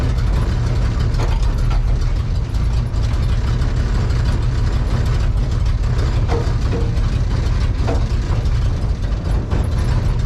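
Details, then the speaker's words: Fire-damaged 1972 Mercury Comet GT, built 302 with choppy cam and four-speed: heavy low rumble with harsh ratcheting grind as gear is forced in; clutch suspected stuck from rust and moisture, not releasing fully. "first thing we want to do because you remember that clutch appears to have issues but maybe it is just stuck Maybe from all the rust and moisture"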